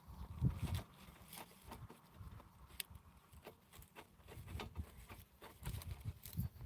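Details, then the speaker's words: Rusted bicycle headed for scrap, crank turned slowly: uneven clicks and dull crunching thumps from the bottom bracket, with its bearings essentially gone. "here hear that bunch of stuff going wrong in here and there there's basically no bearings up here absolutely nothing left"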